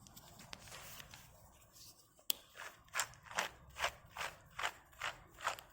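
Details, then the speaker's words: Porsche Boxster 986 rear wheel bearing, old one pressed out and spun by hand: gritty, rasping bursts about twice a second, much noisier than a brand new bearing. "See how noisy that is? That's a brand new one. Big difference."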